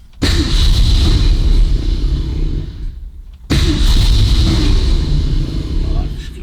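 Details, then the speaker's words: 1965 Cobra Fastback with a 302 V8 replacing the original 289, carburettor with automatic choke, high-lift cam and no thermostat, not yet warm. It was flooded from pumping the throttle, so two hard blips give a deep, rough roar that sags while clearing. "Just flooded now where I've been pumping the throttle"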